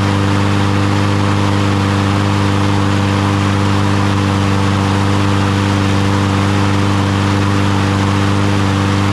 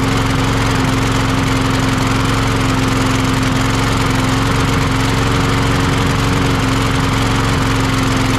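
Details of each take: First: Troy-Bilt (MTD) push mower after carburetor cleaning or replacement, following bad-fuel trouble: small single-cylinder engine runs at a steady, even pace with no misses or surging; normal running. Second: Troy-Bilt (MTD) push mower brought in for not starting: the engine drones but its beat wavers and stumbles. It still runs rough with this carburetor, a faulty or dirty carburetor.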